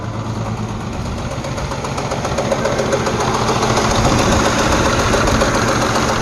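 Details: Jeep Liberty 3.7 Chrysler engine with a flashing check engine light: sharp regular ticking knock, roughly 220 a minute, louder as revs climb from idle; rocker arm suspected to have come off, a common failure, traced to one bank before pulling the valve cover.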